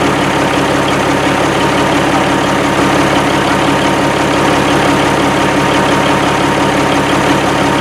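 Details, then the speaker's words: 1987 Kenworth T600 3406B diesel idling after its first start following over 20 years sitting in a field: deep, even clatter holding a steady beat with no knocks or misses; it runs good with excellent oil pressure right away. "i mean it runs and it runs good i mean it sounds good made excellent oil pressure right away"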